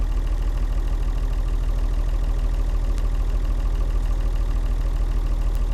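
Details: Vintage Leyland tractor with rare 698 six-cylinder diesel; deep, even idle with steady beat about 200 pulses a minute, no knocks or misses — normal idle.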